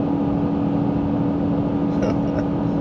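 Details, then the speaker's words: 2024 Honda Ridgeline towing about 1,500 lb of equipment uphill in Eco mode; steady strained drone near 5,000 rpm as the transmission downshifts hard, the truck struggling with the load. "oh there we go wow almost at 5,000 RPMs you can hear that downshift this truck doesn't even like 1,000 lbs going"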